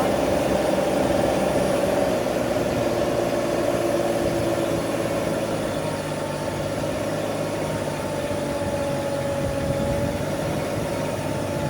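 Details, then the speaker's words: SCAG Jackal loader after lifting about 1,400 lb to max height. Its steady engine drone sags in pitch while lowering with two hydraulic functions working at once as it self-levels. This is a normal bog under hydraulic load. "you can hear the engine bogging down as I'm putting it back down because I'm trying to have it run two hydraulic functions at once so basically it's leveling itself so it's really opening up the valves making the engine really work for it but that's perfectly fine that's perfectly normal"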